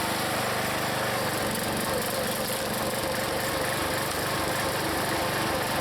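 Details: Log splitter's small single-cylinder engine, after adding Seafoam, in cold weather splitting wood: thrums along evenly with no misses or knocks; normal running under load.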